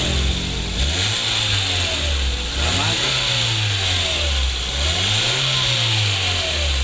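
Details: 2015 Hyundai Grand Avega after its leaking front exhaust flexible pipe was replaced; old rear section still good. Several clean revs with a smooth, even exhaust note and no hiss or blowing; smooth like stock.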